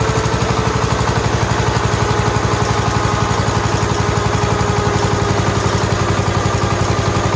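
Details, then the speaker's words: 1969 John Deere 140 H1 with a new carburetor, after long cranking: an even, quick firing beat at a steady idle with no misses or knocks, running quiet and smooth. "it does run now the next video you see the video clip will be it's running and it runs well runs quiet and smooth"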